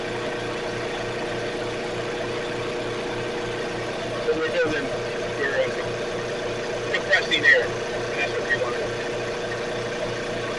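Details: Electric air compressor after repair; it previously ran but made no air because a loosening part slipped. Now a steady low motor hum with an even pumping pulse and a few light clinks; it runs normally and builds air.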